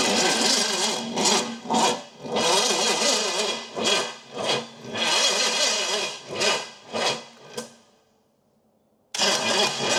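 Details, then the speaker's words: Pontiac 455 V8 that had water in a cylinder, distributor advanced slightly, starter solenoid sticking: slow uneven cranking about two turns a second with ragged catches that never fire; engine tight from the water, timing being rechecked. Hard cranking with misfires. "This motor's just pretty tight from the water, I can tell you that."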